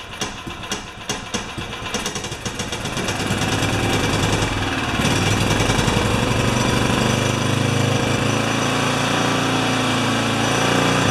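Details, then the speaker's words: Makita G2400R generator that sat a long time, refueled after a fuel line fix: catches and settles into a hard, uneven chattering beat about four a second, not a clean steady note; rough running, carburetor suspected, cause unconfirmed. "idle so it's not right okay let's turn this thing off hook all it runs not great but it runs"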